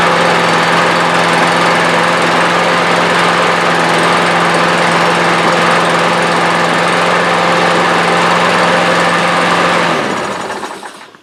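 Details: Snapper mower with Briggs & Stratton engine, brought in for not starting, after reassembly, blade brake handle held: runs smooth and even at a steady speed for ten seconds, then shuts down cleanly; sounds healthy.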